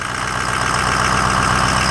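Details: 2004 Ford F-250 6.0 diesel, started with a jumper box after sitting for days, idling after a new BulletProof Diesel FICM power supply fixed a crank-no-start. Even, regular clatter, no stumble or miss. Normal.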